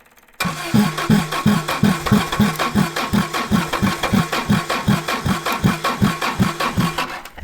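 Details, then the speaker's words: 1960s General Supply 260 air compressor, Kaiser Willys CJ2A engine with custom head, new electronic distributor being timed by ear: slow labored uneven chuffing about 2.5 beats per second; ignition timing off. "And we're a little bit off yet. Let's see. Go right there. I flooded it."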